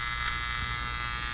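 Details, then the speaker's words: Panasonic Radar Matic AM receiver: a harsh, steady, raspy buzz covering the radio, interference from a household lamp dimmer; it cleared when the dimmer was switched off. "all right so if you have a dimmer in your office if you have a dimmer in your house you have a dimmer in your lab normal household dimmers will do this"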